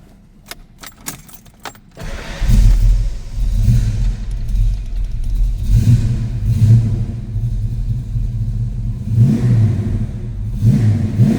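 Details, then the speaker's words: 1991 Ford Mustang notchback V8 with Sniper EFI, fuel pump primed and engine run briefly earlier: after key rattle it catches cleanly, settles into a deep even rumble and answers throttle blips crisply; throttle response great, healthy engine. "Throttle response great on this car."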